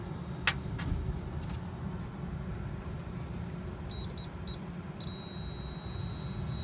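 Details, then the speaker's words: Multimeter continuity beep test on one of four fuses of a non-running 10 HP rooftop outdoor condensing unit, unit switched off: short high beeps then a steady tone over outdoor hum, showing continuity, so this fuse is good. "we have continuity here this one you can't hear you there got continuity on this one"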